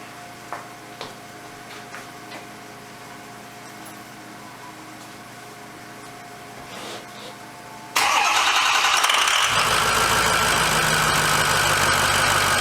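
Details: 2006 Ford F350 diesel after oil and fuel filter change: quick crank and it catches at once, settling into a steady, even idle with no stumble.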